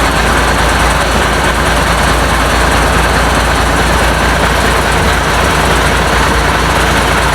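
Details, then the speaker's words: International DT466 diesel in a 1966 Ford F250 rebuild, first cold start, open exhaust: loud even diesel clatter at idle, steady with no knocks or misses; runs well, oil pressure not checked. "you see it running it runs really good uh don't know about oil pressure or anything like that i haven't hooked the gauge up to it um i'm pretty sure it's fine i don't hear any um knocks or anything"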